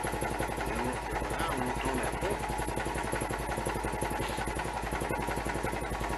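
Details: Citroën M35 prototype (2CV-derived chassis, NSU/Citroën single-rotor Wankel engine) running as the height lever is set to high: a steady, fast, even engine pulse over a constant hydraulic pump hum while the hydropneumatic suspension raises the car; normal pump operation.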